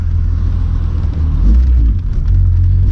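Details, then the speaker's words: VR6 test drive after swapping in a 1.8 axle from another car to cure a popping sound: steady engine and road rumble under light acceleration, no clicking or popping; CV axle sounds healthy. "All right, let's see what we got. I already don't hear anything, so we're off to a good start."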